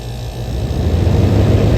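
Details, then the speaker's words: 1977 GE Superthrust air conditioner rescued from an abandoned building, running with the fan stalled so the compressor can be heard: a steady low drone and even hum with no knocking. Head pressure is building, the suction line is sweating cold, and the reading is 105. It runs very well. "this thing is working very well stall the fan for minute so you can hear the compressor"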